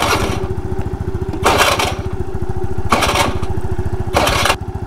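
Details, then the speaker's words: Scooter engine: fast, even putter broken every second or so by loud rushing bursts; owner fears the engine is seizing, cause unknown. "देखो भाई engine से आ रही है आवा। ये क्या सीन है यार? इंजन तो नहीं सीज होने वाला।"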